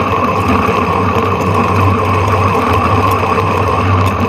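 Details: Electric scooter rear hub motor: a constant rough growling rasp over the motor hum as the wheel spins. The rear wheel bearing inside is broken and is to be replaced.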